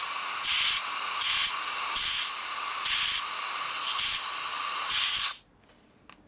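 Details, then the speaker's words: Compressed air (about 150 psi) blown through a passage of a cleaned carburetor on a 2001 Gilroy Indian race bike: six thin, high hissing puffs, low volume; passage plugged, restricted flow. "This doesn't sound very open. This is plugged up. Low volume through here is the problem."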